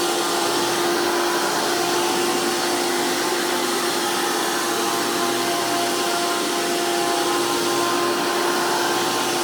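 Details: Hoover PowerMax II U5246-940 upright vacuum (2002), direct-air design with 12 amp motor, high RPM and 20-blade fan impeller, after motor work: loud, steady high-pitched whine and rushing air at constant pitch, no grinding or flutter. Normal running.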